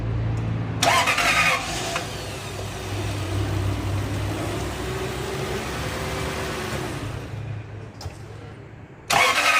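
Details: Lexus 430 after replacing failed starter motor with a used one (no-crank complaint): brisk crank under a second, engine fires and holds steady idle, then shut off and cranked again; starter working properly.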